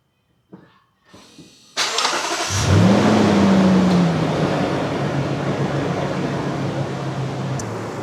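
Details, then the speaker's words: 2015 Lexus GX460 V8 at 142,000 miles after serpentine belt replacement: starter catches and engine settles into a smooth, even idle with no squeak or chirp; new belt fixed the squeaking, normal idle. "All right, guys, so it looks like the new belt solved that squeaking, chirping issue. Easy peasy."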